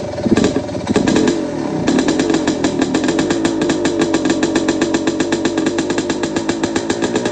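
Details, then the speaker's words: Two-stroke bike revved up and down the street after the muffler packing was removed: very loud, crisp crackle with each firing stroke distinct and evenly spaced. It still sounds like a healthy engine, just much louder than before. "It still sounds like a healthy 2-stroke engine. You can hear me ripping it up and down the street real quick. It sounds good. It's just freaking loud."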